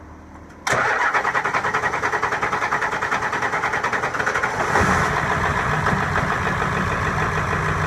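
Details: 7.3 Powerstroke diesel after an injector O-ring replacement, with the heads needing to repressurize. Steady cranking at about three turns a second for several seconds before it catches into a rough idle. Extended cranking, hard start.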